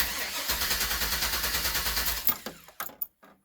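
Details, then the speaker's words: Workhorse chassis RV with fuel pump relay pulled to simulate failure: starter cranks evenly, about three beats a second, with no firing; crank no start, gauge shows zero fuel pressure, pump not running. "that's a bad sound you don't ever want to hear that but the first thing I would suspect is fuel or fuel pump"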